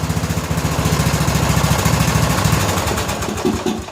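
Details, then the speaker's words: 2000 Scotts lawn tractor (John Deere built) with Briggs & Stratton Intek 17 HP overhead-valve single, after oil change: uneven stumbling beat popping through intake and exhaust; owner suspects tight valves not fully closing, unconfirmed. "you can hear it popping through the exhaust and and the intake so I'm pretty sure what we were dealing with here is really tight valves"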